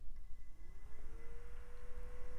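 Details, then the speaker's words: 2000s PC with Nvidia 9600 GT, CPU cooler fan tested after cleaning: clean, steady whine settling at one even pitch, no rattle or ticking; fan sounds perfect. "it actually sounds perfect"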